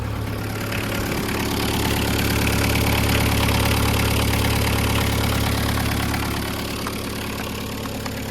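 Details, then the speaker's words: VW Caddy pickup 1.9 diesel, jump-started on a weak battery: a steady, even diesel clatter at idle with a firm low rumble and no misses or knocks, and no smoke. Normal diesel idle. "Yep, it sounds like a diesel. No smoke. Rust, but no smoke."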